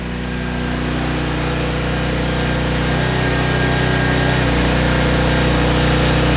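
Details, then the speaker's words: Trash-picked 2005 Craftsman 5600 W generator, 10 HP Briggs & Stratton, restarted with a 1400 W heat gun load: a steady engine drone with a firm hum that holds even, swelling slightly as it settles under load; making power normally. "Start her back up. Making power."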